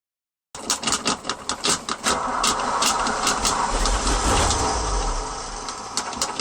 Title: hard start after work